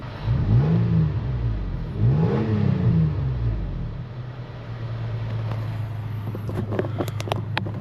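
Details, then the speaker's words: Toyota FJ Cruiser 1GR-FE V6 after replacing failed coil pack (code P0301, check engine flashing), fuel very low: revs up twice and settles to a steady, even idle, no stumble; misfire gone. "Bam. And with that, no more misfires."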